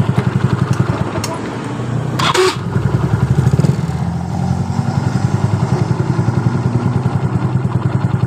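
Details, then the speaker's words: Yamaha Mio Soul scooter: harsh grinding burst when pressing electric starter and again at shutdown, gone once running normally; noise from starter dynamo area. "Apa permasalahan di bagian dari suara kasar ketika kita memencet dinamo starternya seperti ini. Tapi saat motor sudah hidup dengan normal, suara kasar tadi hilang."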